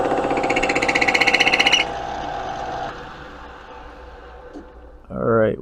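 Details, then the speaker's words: Smithy lathe/mill/drill combo, first pass on a 1¼-inch workpiece at about 600 RPM: a harsh, buzzing squeal with a fast pulsing flutter rings out during the cut, then dies away. Tool chatter, cause unknown. "started to get some chatter there couldn't tell you why"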